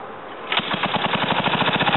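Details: Ariens TA20A Trans-a-matic rototiller, single-cylinder engine rebuilt and clutch repaired, carburetor untouched; silence then fires and settles into even rapid pop around twelve beats a second; normal running.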